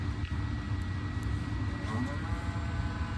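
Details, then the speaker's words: Volvo electric mini excavator, button pushed with joystick down: electric motor spins up, then a steady low hum and even whine with no knocks or surges as hydraulics go live; normal running. "you hear it spark up, the motor starts turning. You got flow, joystick's down. Hydraulics are live."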